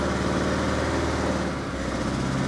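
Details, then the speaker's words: 1984 Opel Ascona 1.6S 90hp, first run after reinstalling fuel pump: rough uneven idle with a brief stumble; cylinder misfire, judged not fuel-related, possibly worn spark plugs, ignition coil connections to be checked. "I don't think that's fuel related that's definitely a misfire it's definitely a misfire"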